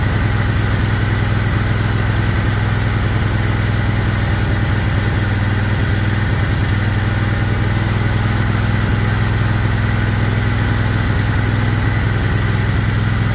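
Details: Craftsman GT riding mower (model 917.258873) with 18.5 hp Kohler CV18S 624cc V-twin, after carburetor replacement (long a hard starter), air filter off, jumper pack on low battery: steady, even V-twin burble at constant speed, no surging, popping or misfire; normal running.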